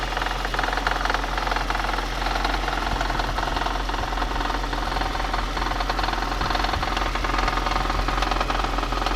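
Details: VAZ 2110 8-valve engine: a steady, fairly even knock at about two to three per second from inside the engine.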